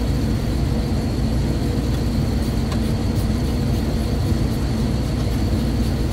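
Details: Rooftop kitchen exhaust fan after fitting new AX20 belts and retensioning the slightly loose drive: steady, even low rumble with no belt slap or squeal; running smoothly.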